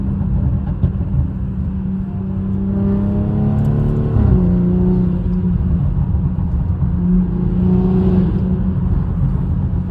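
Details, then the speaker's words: Turbocharged engine revving as boost builds: a whir that rises and falls over a deep rumble with an odd extra noise; AI suggested an exhaust leak, but the cause is unconfirmed. "ChatGPT, let's make a video for you to see, you know, the noise that it's making and how it sounds when building Boost."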